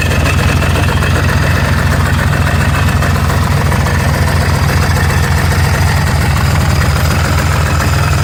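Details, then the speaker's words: Scrapped 4-wheeler after a new starter and Bendix, flywheel reseated, throttle stuck wide: starts and holds a steady, even low rumble with no knocks, blowing blue smoke; normal idle. "That sounded good. I like seeing the blue smoke. That means it's got oil going to it."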